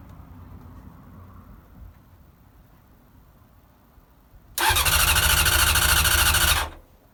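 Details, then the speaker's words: Honda CBR900 Fireblade, off the road over ten years, first start after carb work (T-piece rubbers, balance screws): catches and revs hard for about two seconds, strong and even with no misses; bit smoky but starts beautifully. "Wow, that sounds [ __ ] mint. bit smoky but uh it's to be expected in it. I think it's been off the road over 10 year but that that started beautiful."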